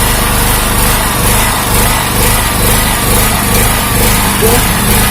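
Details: Honda GX160 engine on a 2000 W generator: engine note keeps swelling and sagging instead of holding speed (hunting idle); still surging after a wiring/ground check, mechanic suspects ignition, possibly the coil; cause unconfirmed.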